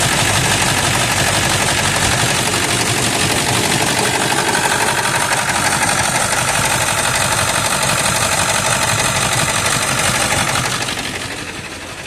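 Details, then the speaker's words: 1999 Ford F350 7.3 L turbo diesel, 217,000 miles, cold start on a summer day: loud, rough, uneven clatter at idle about three beats a second, settling slightly; oil burner with exhaust smoke, improves when warm but never disappears; cause unconfirmed. "I know it's terrible he it does improve as the vehicle warms up but never disappears"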